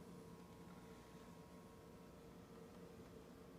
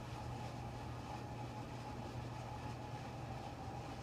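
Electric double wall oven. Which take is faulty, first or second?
second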